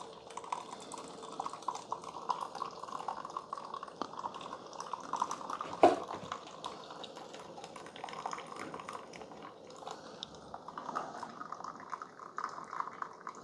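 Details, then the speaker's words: Keurig K-Supreme with its covers off, during an 8 oz brew: quiet trickling and dripping over a faint pump murmur while the heating element heats up. Heating and pumping are normal. "okay so it has started it's really quiet this pump is air pump is going to kick on but right now there's just some water kind of coming back in it and that heating element is heating up it's getting really hot back there"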